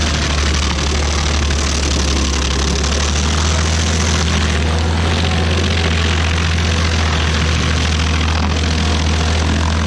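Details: Stump grinder with freshly rebuilt engine (new rings, cleaned piston), first job grinding a willow stump: steady strong low drone holding speed evenly through the cut, no surging or misfiring; oil on heat shield later burnt off; normal running under load.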